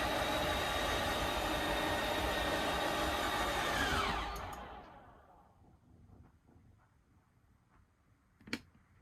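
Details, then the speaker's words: Schwintek RV slideout after Lippert replaced one side: smooth, steady motor whir for about four seconds, winding down and stopping cleanly with no grinding; cold weather, so possible ice and seal cracking. "listen for the difference in the sound and you'll see how it just goes out really nice and smooth"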